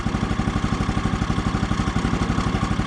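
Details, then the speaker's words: Woodland Mills HM130 Max Woodlander sawmill, brand-new 14 hp Kohler single-cylinder, first start, choke just taken off, before warm-up: quiet, steady, even idle with no metallic ting of premature centrifugal clutch engagement, so idle is set well. "normally what i do with this thing at this point is i listen for that ting sound that ting sound is the premature engagement of the centrifugal clutch uh i don't hear it here so the idle must be set pretty good"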